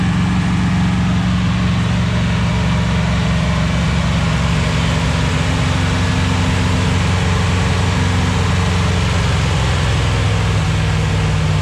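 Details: 241 Red Ram Hemi V8 during cam break-in at raised revs on a cold day: a steady, even deep roar with no knocks, misses or ticks; oil pressure around 30 psi, running smoothly, with a possible vacuum leak mentioned.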